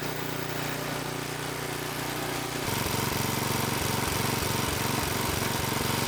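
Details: Small single-cylinder tiller engine, after about 20 years sitting, with fuel added and in neutral, catches, then settles into an even, regular putter with no knocks: normal idle.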